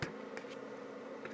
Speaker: on top of our output going to the speaker's right now which is exactly why you hear this noise okay and we don't want that